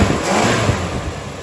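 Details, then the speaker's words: 1964 Dodge Dart GT 273 V8 just after a new mechanical fuel pump installed and fuel reaching the filter: steady, even idle with firm low rumble and no stumble or surge; running smoothly. "Man, that sounds good."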